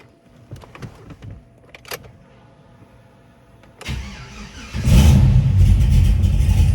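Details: Cadillac CTS-V with newly connected exhaust, still untuned: starter cranks, then the V8 catches and settles into a choppy, uneven lope.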